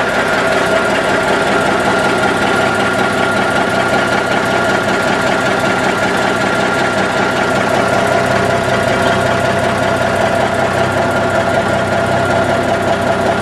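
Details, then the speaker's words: 1984 GMC truck idling, not fully cold, having run 15 minutes about 45 minutes earlier; steady even idle with constant mechanical hum, no knocks or misses, clean exhaust; normal idle. "okay I just started the engine and you can see it's running clean the engine wasn't completely cold"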